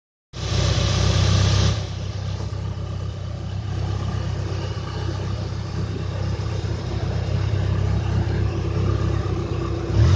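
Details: Mitsubishi 4G63 turbo engine with an uneven, stumbling note, irregular low pulses and rough revving; engine misfire.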